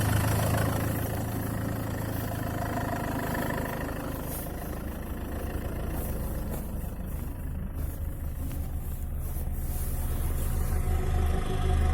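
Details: Land Rover Freelander 2 idling: steady low rumble with an uneven tapping knock underneath, about four per second; origin unknown.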